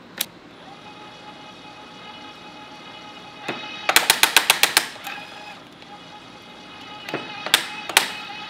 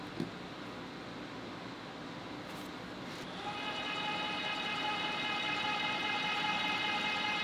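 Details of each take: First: Electric tapping arm cutting a 3/8-16 through-thread after its clutch tension was raised two or three notches: about eight sharp clicks as the torque clutch slips slightly under load, then the tap finishes cutting. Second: Electric tapping arm with rigid tap holder (no clutch) and spiral flute tap cutting 3/8-16 thread: quiet start, then steady even-pitched motor whine without strain; normal, clean tapping run.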